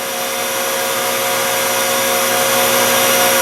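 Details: Deckel S5 universal tool and cutter grinder, dual-drive spindle on a frequency drive at 100% speed before being turned back down: steady, even high-pitched whine held constant, no grinding or knocking; spindle healthy.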